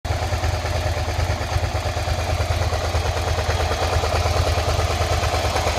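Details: 2003 Suzuki SV650S (SK3) V-twin idling after being laid up 5 years, with new oil, plugs, coolant and battery; it started first time. A steady low thump carries a light, fairly even clatter over it, and the owner asks whether this knocking is normal.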